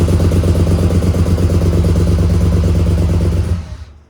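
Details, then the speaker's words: 1985 Monte Carlo SS with swapped cammed 6.0 L LS2, after five years sitting and a fuel system rebuild, first start at about 58 psi fuel pressure: deep, loping, stumbling idle about three beats a second before dying; misfire from stuck fuel injectors. "Something is wrong. I suspect some injectors aren't firing."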